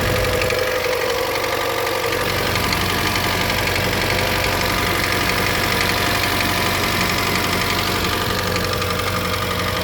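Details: 2013 Hyundai Elantra 1.8L four-cylinder at cold idle in winter: rapid light ticking knock about twice a second over a busy idle; owner calls it piston slap, dealer says normal in cold weather; not confirmed.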